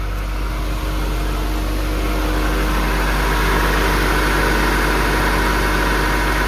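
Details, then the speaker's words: 1986 Toyota Camry at idle after the AC system was reassembled and recharged, vents blowing ice cold: a steady idle with a smooth hum and no clattering or grinding from the suspect compressor; normal AC compressor operation. "The AC is on and working. And miracle of miracles, I'm not hearing a giant clattering, chattering, grinding noise from the AC compressor."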